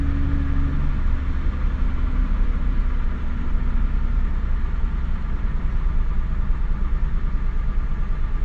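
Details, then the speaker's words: Mazda Bravo B4000 ute after idle control valve replacement, engine still cold: smooth steady low rumble, idle slightly above 1,000 rpm and settling, no stumble or hunting; normal cold fast idle. "and cuz the Ute still cold we haven't let it warm up or nothing that's why it's not ID at 1,000"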